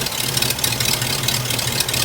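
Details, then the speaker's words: Hearse after exhaust work and 50-mile break-in, warming up at idle: ragged, lumpy idle with uneven low throb and hissy edge; collapsed PCV valve hose sucking itself shut causing a vacuum leak, new hose needed. "That PCV valve hose is not right. It's like, it's sucking itself."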